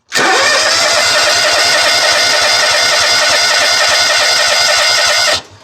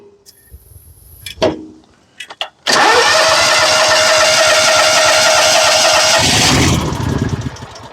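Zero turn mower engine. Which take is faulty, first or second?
second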